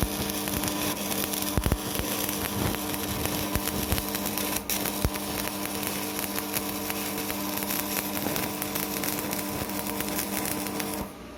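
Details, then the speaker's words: Strat 160KS welding inverter, 2 mm gap, 2.5 mm electrode: a steady electrical hum under crackling arc noise throughout the weld, stopping when the arc breaks; it hums under load, cause unknown. "варим сварочным инвертором рат 160 КС зазор 2 мм электрод 2,5 мм гудит но варит начинаем варить"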